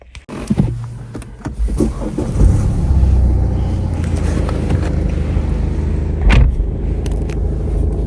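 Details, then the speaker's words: BMW 320 with 240,000 km, test pulling away in D and R: steady low engine drone with no clunk or shudder, automatic gearbox engages smoothly both ways; slight vibration in D and R versus neutral, possibly a weak engine mount. "от рушає все плавно Що взад Що вперед але мінімально мінімально є вібрація"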